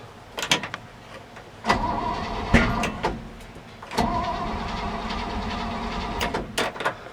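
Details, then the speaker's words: 1961 Chevy Apache after oil pump change, plug wires and timing uncertain, first start: cranking bursts that won't catch, then a sharp pop; backfire indicating the distributor was installed backwards. "Well, that pop tells me my distributor's in backwards."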